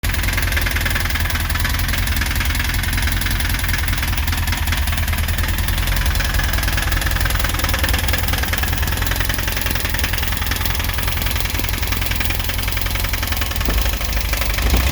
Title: 2.1 rod knock